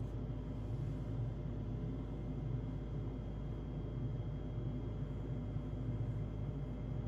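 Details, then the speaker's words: Carrier gas furnace about 9-10 years old in heat mode: loud, rough, steady low rumble from the draft inducer (exhaust fan) motor with worn bearings. "that's just an example of what the furnace usually sounds like when the furnace exhaust motor goes bad."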